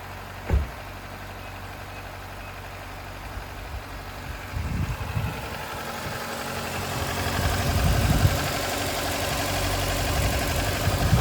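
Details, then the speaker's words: 2008 Nissan Versa CVT that had been slipping out of gear and whining, after the owner's transmission repair (some metallic debris found in one corner of the pan): low, steady idle with a few light thumps and no whine; sounds fixed, fluid level still to be checked when warm. "Oh, this sounds really good. I think that whine went away."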